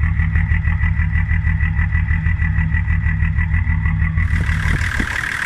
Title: Diesel shakes and runs rough - bad Injection Pump Quantity Adjuster